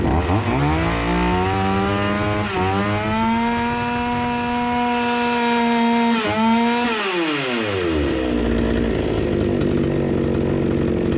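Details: Proyard 450 two-stroke cut-off saw, after diagnosing and repairing a no-run fault, warming up: a crisp buzz revs up, holds steady, then drops cleanly back to idle; runs smooth and even, normal running.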